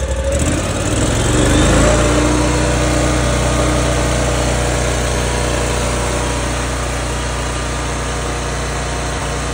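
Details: 2019 Ferris IS3200z zero-turn, 37 hp Briggs & Stratton EFI, about 1500 hours, previously losing power and backfiring at high idle; started after a repair step with the air intake reconnected: catches, revs briefly, settles to an even run, no pops or surging. Normal running.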